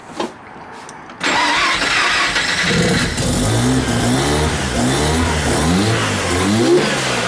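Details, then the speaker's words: Mazda RX-7 FC rotary after wiring a working MAP sensor and rebooting the ECU, before break-in and tuning: starter cranks briefly, engine catches and revs up and down cleanly with a steady, even buzz, running properly. "so now you can actually hear the difference the car with a working map sensor"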